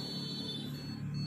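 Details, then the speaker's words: Desktop PC powered up with RAM removed and a small buzzer attached to the motherboard speaker header: thin high beep repeating over fan hum, the BIOS code signalling no memory detected. "Nó phát ra tiếng bíp như vậy để báo hiệu rằng không có RAM."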